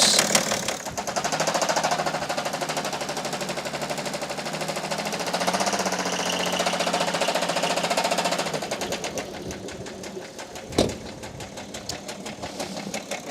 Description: Can this knocking BMW diesel engine be fixed or not?